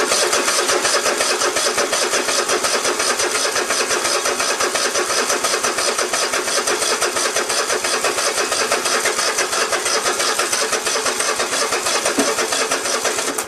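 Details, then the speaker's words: Cub Cadet i1050 zero turn left outside for years, cranking on an auxiliary tank: steady fast starter churn, about three beats a second, never fires. Fuel reaches the pump, and a clogged carburetor was suspected. "so i went and took the carburetor off i had a feeling it was uh clogged up or something because uh i know there was fuel getting through the fuel pump and uh i guess the gas that was in there it was pretty smelly"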